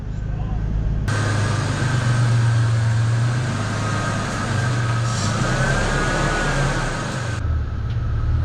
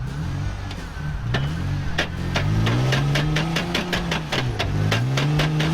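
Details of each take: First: Toyota Tacoma after front end repair, test drive in low range: steady low drive rumble with faint even gear hum, no grinding or clunking; drivetrain sounds healthy. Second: Toyota Tacoma 4x4 with a previously broken front end, now run in two-wheel drive, also with head gasket problems: sharp clicks about three a second over a speed-dependent whine. Front axle damage is suspected.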